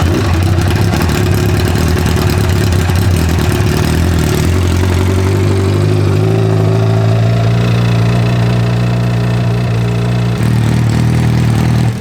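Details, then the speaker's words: Honda N600 with 2014 CBR1000RR engine, idling hot with fan running: loud steady idle with an uneven mechanical rattle over the drone, seemingly louder on passenger side; source undetermined, load-in-gear test planned. "I think it's louder on the passenger side. I'm going to try what that guy did where he put it in gear and he put it under load and it went away."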